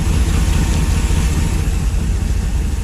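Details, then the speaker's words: LS3 V8 in a 1955 Chevy Nomad on first start since 2017, idle slightly high: deep even burble with no misses, knocks or ticks, very quiet exhaust; normal smooth idle. "so yep running smooth right now and if you can hear that this is exactly what I wanted this thing is really really quiet"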